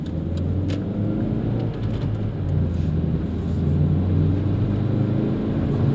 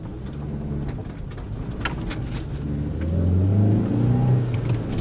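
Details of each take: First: 2001 Hyundai Accent driving: low, steady growl under road noise rising slowly with speed, from a worn front wheel bearing being replaced. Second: 2001 Hyundai Accent on test drive after front wheel bearing replacement: even tyre rumble rising smoothly with speed, no hum or growl turning left or right; healthy wheel bearing.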